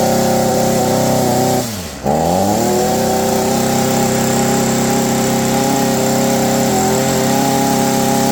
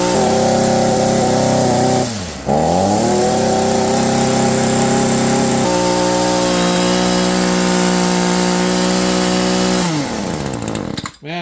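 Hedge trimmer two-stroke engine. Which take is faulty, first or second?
first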